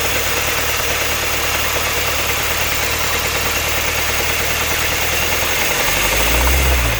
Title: Strange engine noise. KIA 2015 Optima EX GDI